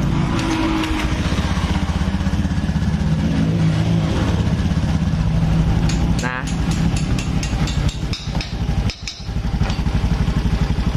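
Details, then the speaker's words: Steady, smooth idle of a 2018 Honda Beat digital scooter with no cam chain rattle, after replacing the cam chain tensioner that caused the rough-running engine. "oh ya suaranya lembut lagi toh"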